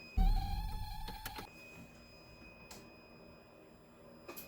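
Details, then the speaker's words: Toyota MR2 AW11 after swapping the original buzzer for a modern, Yaris-like one, tested with the ignition on ACC: a thin, steady high-pitched beep under clicks and a thump. Sounds much nicer than the dying original. "you can hear it's a lot nicer sound it's uh it's more modern the other the other uh buzzer sounds really bad sounds like it's about to die at any second"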